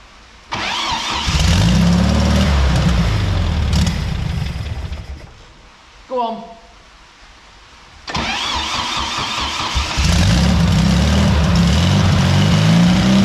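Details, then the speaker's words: Barn-find VW Beetle that sat 30 to 40 years in a field, started after wiring fix and fitting the petrol pipe: catches, settles to idle, dips briefly then recovers and idles evenly on its own. "This car is finally running after all those years of being sat in a field. I think it were about 30 or 40 years this car sat."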